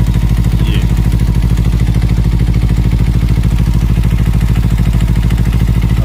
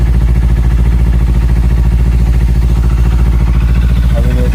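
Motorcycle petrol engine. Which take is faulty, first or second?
first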